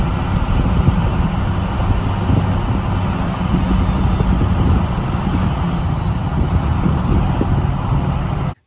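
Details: 6.0 Powerstroke King Ranch at idle during the VGT relearn after a KC Stage 2 10-blade turbo install: a deep steady diesel idle with a high whistle that slowly falls and fades as the vanes open to a deeper tone. Normal VGT turbo whistle.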